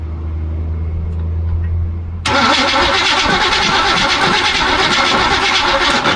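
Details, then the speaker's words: 1976 Chevy Cheyenne 4x4 cranked with premix poured into the carburetor: even starter churning but the engine never catches, no spark because the distributor was left disconnected after testing for power. "No fire. There is no fire. Oh! Remember earlier when I was testing to see if there was power at the distributor? Well, I tested it for power there, but I didn't hook the distributor back up."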